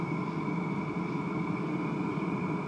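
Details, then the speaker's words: Cheap Chinese Webasto-type diesel heater running on red diesel at full load, drawing 40–60 W intermittently yet running hard: steady burner roar under blower hum with constant whine, no pulsing or sputtering, normal running. "il prend pas tout le temps et pourant il tourne fort"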